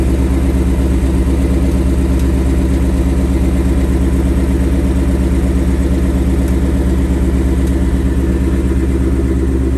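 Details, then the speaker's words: 2021 Ford Mustang GT V8, about 7,800 miles, after its first oil change, idling a little cool: light, even tick about three a second, louder when hot, loudest at the driver's-side front wheel well. Owner believes it is characteristic per TSBs; dealer check pending. Valvetrain typewriter tick. "okay so you probably heard uh i'm sure you heard the ticking it's not too bad uh of course the car is a little cool right now when the car is hot it takes a lot more it's much more prominent"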